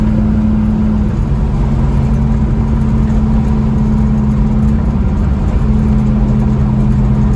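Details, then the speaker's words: 1967 Mustang fastback (Shelby GT500 style) V8 after valve lash adjustment (passenger side had been zero lash): strong, even drone while cruising on test drive, no misses, knocks or ticking; power restored. "I say she's got her get up back to her runs real good don't it yeah"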